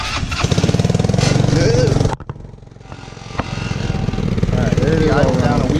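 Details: 150cc Yerfdog go-kart, previously non-running, started after about 20 bucks of repairs; steady buzzing run with a brief drop around two seconds, then an even note; running fine, though some vibration remains.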